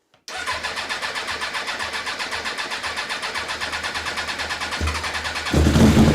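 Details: 1994 Suzuki GSX-R 1100, stored for over 10 years, cranked with brake cleaner sprayed in as starting fluid. The starter spins the engine at a steady, even chug for several seconds, but it never catches. It cranks but won't start.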